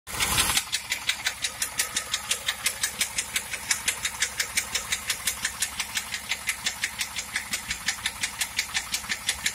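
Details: 1997 Trans Am with an engine noise: sharp, even ticks about three per second ride over a smooth idle; a clear mechanical tick whose source is not pinned down.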